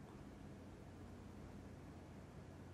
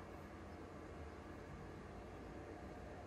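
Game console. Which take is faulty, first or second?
second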